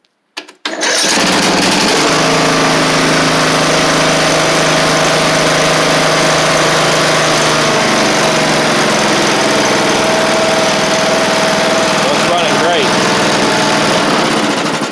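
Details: Craftsman LT3000 lawn tractor with a replacement engine, jump-boosted because the battery won't hold charge: small single running at steady high speed, even firing with no knocks or misses; normal running.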